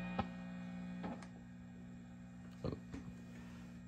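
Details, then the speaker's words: Swart AST Pro tube guitar amp, as-is condition: steady low power-line hum with buzzy edge under handling clicks; partly worsened by reverb circuit, could be tubes or other causes. "So with everything off, we're getting some power line hum."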